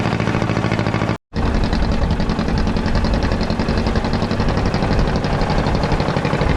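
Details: Caterpillar D8 2U crawler main engine running just after its first start, revived after work on its pilot (pony) motor: deep, steady chug with an even beat, no knocks or misses; motor sounds fantastic, normal running.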